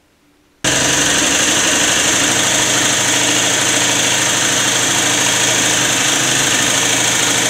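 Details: Peugeot Elyseo 50 scooter, first run after a new cylinder was fitted, not yet running satisfactorily: harsh, rattly idle with a steady knock about four per second. Knocking; the cause is suspected, not confirmed.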